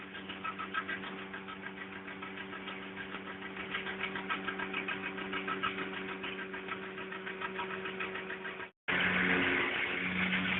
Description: VW Polo 1.2 3 cyl misfire. (Faulty coil pack)